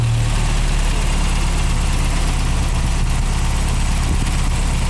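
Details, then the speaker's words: MGA 1600 roadster after restoration, running on a newly fitted cheap exhaust system: smooth, even, quiet idle with steady exhaust beat and slight rattle, no engine knock or water pump noise; timing slightly retarded and needs advancing. "Sounds good. No bad noises, no nothing. I was afraid that I put exhaust on it to hear the engine knocking or the water pump going."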